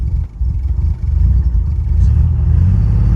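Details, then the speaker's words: 1972 Citroën SM with Maserati engine, cold start with choke tried: deep, low rumble catches quickly and settles into a steadier, slightly louder run; started right up, a little cold but not bad; normal cold start. "it's a little cold but hey not bad"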